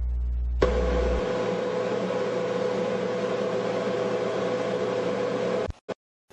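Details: General Electric dryer test run after replacing the front drum bearing and Teflon glides: starts with a thump, then a steady whirr and soft even hum before stopping. Normal operation.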